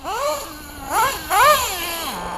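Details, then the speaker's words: Old RTR Losi 454 nitro RC engine with TLR 2093 pipe, test and tune: high buzzing blips with uneven idle between; owner suspects low-speed needle lean. "I think maybe I'm a little lean on the bottom too."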